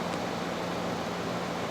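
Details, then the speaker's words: 2016 SsangYong Tivoli diesel, 25,010 km, 6-speed automatic, heard with the hood closed: a low, steady, even idle with no knock, rattle or roughness; normal idle. "닫았을 때는 상당히 조용했고요 후드를 열고 더 들어보겠습니다 당연히 엔진 부조 노킹 현상 또한 볼 수가 없었습니다"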